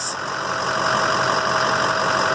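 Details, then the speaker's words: 2007 EarthRoamer XV-LT, heard outside: smooth, steady diesel idle with an even drone, no knocks or misses; diesel heater may whine nearby; engine running healthy. "I've never ever had a moment's problem with that engine this engine is the same one and it runs perfectly"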